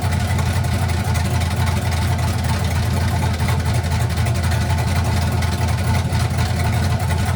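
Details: 1967 Chevy C50 with turbo LS V8, 7875 turbo, Holley Terminator X Stealth EFI, first start: loud choppy lopey idle about four beats a second, steady rhythm, turbo spool audible; healthy big-cam V8.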